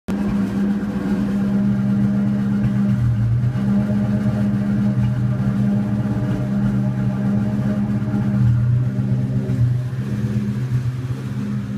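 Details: 2002 Mustang GT V8 idling with a steady low drone broken by an uneven stumble: a misfire at idle that remains after new plugs and coils and a cleaned throttle body and MAF; it goes away while driving with no power loss.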